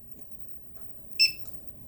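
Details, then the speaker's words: Cheap handheld gas sniffer detector used indoors before running a BougeRV portable propane water heater: one short high-pitched beep in a quiet room as it switches on and starts sniffing, orange light flashing; normal power-on beep. "And when it's done sniffing, it'll beep and tell you, hey, everything's not all right or everything's all right."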